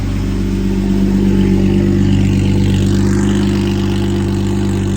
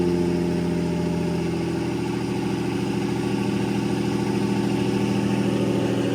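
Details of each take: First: Lamborghini Murcielago V12 with two ECUs and two fuel pumps, basically two six-cylinder halves: lumpy, uneven hum with flat missing note, running on only one bank; cause not yet determined. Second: Lamborghini Murcielago V12 after repairs (new filters), left to heat cycle: a smooth, even idle with a steady hum, then a clean step up in speed that holds steady. Normal idle.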